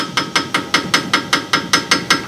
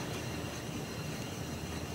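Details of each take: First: 2003 Ford Ranger sway bar end link with its bushing totally gone, shaken by hand: sharp metallic clacks about five per second, the rattle heard going down the road; fix is a bushing kit with new rod and nut. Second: 2003 Ford Ranger on a lift, wheel hand-spun during inspection for a suspension rattle: smooth even whoosh with faint brake pad scrubbing, no growl or roughness; normal wheel bearing with light brake drag.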